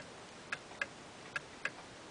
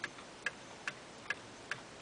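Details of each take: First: Eight-day clock with Geneva stops: ticks fall in uneven pairs, roughly 0.3 s then 0.55 s apart, a heartbeat rhythm; clock out of beat, which makes it stop early. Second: Eight-day clock with Geneva stops, in beat: crisp, evenly spaced ticks at about two and a half per second with no limp; an out-of-beat clock ticks like a heartbeat and stops early.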